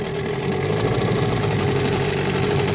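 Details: Gladiator 9.8 outboard during break-in, a couple of hours in, first time in reverse at low gentle throttle: steady buzzy drone with no stumbles or rattles; running cleanly.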